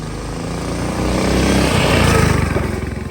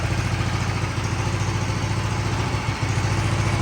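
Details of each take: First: Big block mini bike on first test ride: single pulls hard but firing turns ragged and stutters under load; breaking up, owner suspects flooding from excess fuel after float height was probably upset during carb cleaning, needs carb tuning and float adjustment. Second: Big block mini bike with new exhaust: even single-cylinder thump at idle, about 3.5 beats per second, with light chain clatter from spinning the chain against the e-brake; normal idle.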